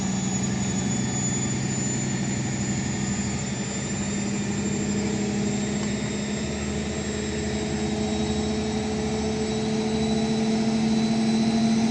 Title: Indesit Mega Unbalanced Final Spin Ramping up 0-1000 (Bad Bearings)